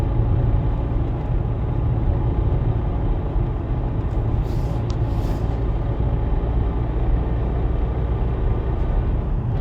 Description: This sound I can hear is only on gear and from 25km/h to 110km/h. Also when it neutral it's ok or when I step on clutch pedal.